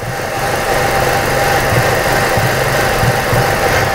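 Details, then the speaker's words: 2006 Ford Escape 2.3 four-cylinder running rough with an uneven, lumpy idle, irregular low thumps and a shaky beat. Mode 6 shows all cylinders misfiring, caused by the exhaust cam timing being out of phase. "s missing one's the worst but they're all misfiring and the engine or mode 6 sees that they're all misfiring so we're probably not looking for one but multiple the car runs rough right now i can feel it running rough"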